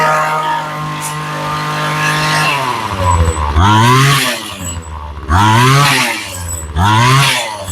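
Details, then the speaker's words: Ryobi two-stroke string trimmer after carb rebuild and new fuel lines: idles, then bogs briefly each time throttle opens before winding up; owner suspects the mixture and adjusts carb. Cause not confirmed. "okay she's got a little bit of a drop when you accelerate"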